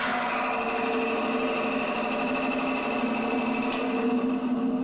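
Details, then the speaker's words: Single-contact friction tester (frictometer) with fresh ball, minimum load, plain oil in cup: loud steady scraping rub with high hiss, metal-on-metal friction; ball already worn within seconds. "Le bruit est important. Il semble qu'il y ait un frottement et nous allons déjà en quelques secondes contrôler l'usure de la bille. La bille est déjà usée."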